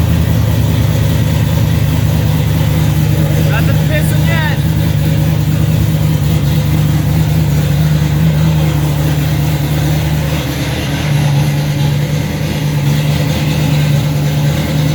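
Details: 1995 Ford Mustang just fitted with a C4 3-speed automatic, idling in park right after its very first start: steady, even low rumble with no knocks, misses or surging; engine idling smoothly and healthy.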